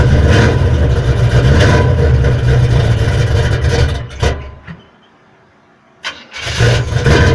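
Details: 1979 Chevrolet Malibu after replacing the flexplate (new 168-tooth, internally balanced), damaged by a broken starter support: strong steady run, clean shutdown, then a quick smooth crank and catch with no grinding; starter now engages normally.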